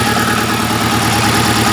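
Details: Chery QQ 311 gasoline engine: uneven idle with periodic stumbles and dropouts in the exhaust beat, several per second, as if one cylinder is misfiring. Engine misfire.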